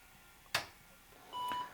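A short click, then one steady high beep about a third of a second long and no boot activity after; a POST error.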